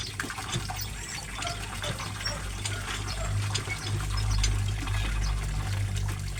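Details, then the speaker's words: Small 0.5 size direct-connected water pump motor, no tank, filling a duck pool: steady low motor hum under a strong rush of water, no grinding or rattling; running normally with strong flow. "Maliit lang itong motor na para sa tubig pero pwede na rin. Malakas na rin ang binibigay niya na tubig."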